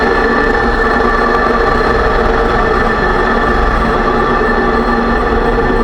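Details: 2006 Range Rover Sport rear differential, rebuilt with all new bearings and races for vibration and howling: steady high whine over the driving noise persists; owner suspects pinion preload set too high at 35 in-lb.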